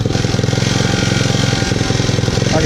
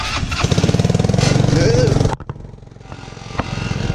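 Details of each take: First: 150cc Yerfdog go-kart engine, recently revived, idling: quick even putter that keeps pushing up instead of settling low, surging as it idles down with some vibration; owner thinks idle speed needs turning down a bit. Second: 150cc Yerfdog go-kart, previously non-running, started after about 20 bucks of repairs; steady buzzing run with a brief drop around two seconds, then an even note; running fine, though some vibration remains.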